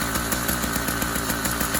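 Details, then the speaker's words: Newly installed YD100 two-stroke on a Kent Bayside Cruiser bicycle, cold day, half choke, about a minute of total running: a buzzy, slightly uneven pulsing idle, normal before warm-up and break-in. "guy will smooth out after it warms up and just through a few heavy cycles and a little break in time so if you've built yours and your idle is a good bit erratic don't worry about that right off the"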